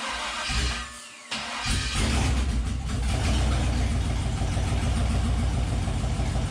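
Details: 1972 Toyota FJ40 Land Cruiser with swapped 4.8L LS V8, first start after fixing spark so all eight cylinders fire, on a weak jumper pack; brief cranking, pause, then fires and holds steady deep rumble; engine starts and runs.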